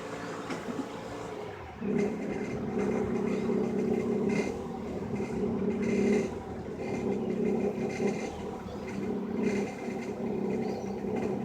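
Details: 2007 Mazda 6i: wavering mid-pitched chirping drone rising and falling with each throttle blip, heard from startup; new serpentine belt 2mm too long let the tensioner bottom out; tensioner replacement didn't help, correct belt fixed it.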